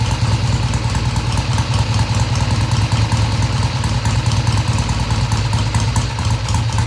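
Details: 1971 Triumph T120 650cc twin after carb tweaks of about an eighth turn: steady idle lifting cleanly off idle and revving through mid-range without hesitation or stumble; carbs need not be exactly even; normal idle and revving.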